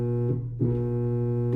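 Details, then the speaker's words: GE stackable dryer that won't run: steady low electrical hum with no spin-up and no drum or airflow noise, a locked-up blower motor only humming. "Definitely sounds like a locked up motor, huh? Let's check it out."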